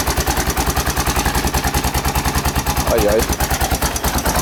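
Steady single-cylinder idle with a light metallic rattle riding on each beat, about three per second; a top-end rattle, source unconfirmed.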